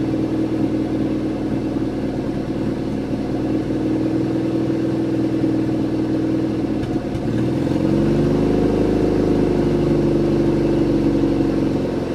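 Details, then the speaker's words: Junkyard Chevy S10 revived for an 800-mile drive home: smooth even idle and clean throttle blip without stumbling; engine sounds good. "oh engine sounds good runs nice and smooth"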